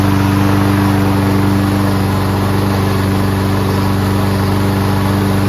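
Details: Toro Recycler Personal Pace rear self-propelled mower with Chinese Loncin engine and auto choke, manually choked after repairs and being on its side several times. Started first pull with no smoke, running steady at about 160 pulses a minute; choke stuck open.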